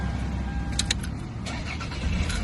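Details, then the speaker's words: Car with a dead battery, jump-started and then driven about 20 minutes to recharge, restarting after being switched off: brief crank, catches at once and runs steadily with no struggling. "at that, didn't even struggle. I'd say job well done."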